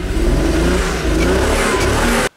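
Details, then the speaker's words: Engine after a bad trace on the ECU board was fixed: idles better, but revving gives an uneven, stumbling note, a misfire still present. Owner suspects the ECU's resistor/capacitor circuitry and may replace the ECU. "it's definitely running a lot better than it was so I still think I need to work on some of the resistors and some of the capacitors and maybe clean up that area on the board maybe make a sub board to go in there but so you can hear it how's a miss still"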